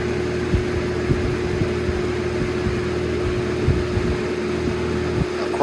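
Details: Holmes HABF-20 box fan, circa 2000–2001, on high: constant low even motor drone under the airflow rush; hum occurs mostly on high, sometimes medium, quiet on low.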